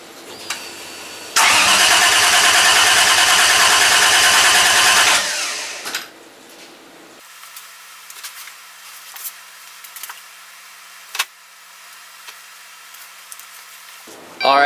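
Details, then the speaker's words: Toyota Supra with 1JZ engine swap, first start attempt with chargers attached after battery lacked cranking amps: starter cranks steadily about four seconds, fuel pump heard, but never catches; owner suspects no spark or injector signal. "so um as you heard it cranked I think you guys heard the fuel pump come on so those two are good"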